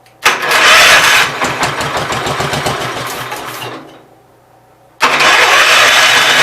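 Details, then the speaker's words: Gravely 810 revived on carb cleaner: engine fires and runs rough but steady, dies briefly, then catches again; no smoking or heavy knocking, running acceptably. "That sounds decent. It's not smoking or knocking like crazy. So I'll call that a win."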